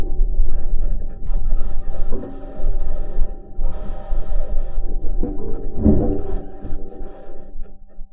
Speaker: recording, we can hear the bangs, pings, and rattles from metal wheels rolling over the rocks.